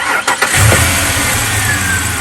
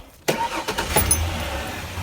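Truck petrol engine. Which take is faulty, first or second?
first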